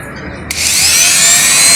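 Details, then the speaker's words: Avid Power rotary tool, brand new and never used, after its defective factory power switch was replaced: switch clicks, then a high whine climbs quickly to a steady pitch and holds. Repair successful; runs normally. "it does work. Well, you can hear it, probably can't see it."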